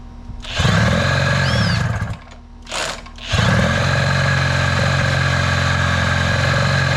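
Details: 1983 Evinrude two-stroke outboard after power unit work, started with starting fluid and primed fuel bulb: deep, even burble settling quickly after brief drop, smooth steady run without misses; normal running.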